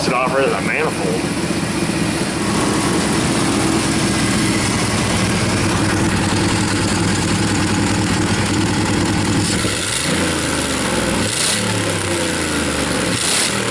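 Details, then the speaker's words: 2001 Dodge Dakota 4.7 V8 with P0171, loud raspy idle with a sharp puffing tick following engine speed; exhaust leak where the flange bolts to the manifold are broken, possibly behind the erratic O2 readings and high fuel trims. "manifold yeah basically it's equipped with a flamethrower package this broke right off at the manifold looks like uh looks like the bolts that hold the flange to the manifold are busted"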